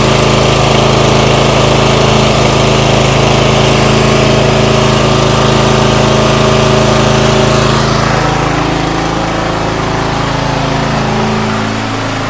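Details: MTD White yard tractor, 13.5 hp Briggs & Stratton industrial engine, first run in years after starting fluid: steady single-cylinder drone for eight seconds, then pitch sags and it fades toward stalling, cutting out; struggling after long storage.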